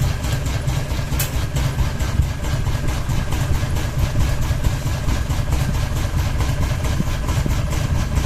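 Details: Ceiling fan running with only one blade and a ball hanging: low steady rumble with faint fairly regular ticks about 1.5 per second; unbalanced fan wobbling on its mount.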